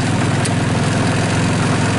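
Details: 2014 Linhai Big Horn 400 UTV after starter wiring, battery and solenoid upgrades and a CDI pulse lead repair, running with the cooling fans off. Steady, even idle with a smooth low pulse; healthy engine.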